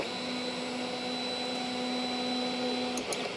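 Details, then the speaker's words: Sovol SV01 3D printer with a Creality mainboard and dual Z steppers, homing on a G28 command: loud, steady stepper motor whine from old-school Allegro-type drivers rather than silent Trinamic drivers. "yeah this is obviously not a trinamic drivers hear how noisy it is yeah this is what it was called the Allegro drivers"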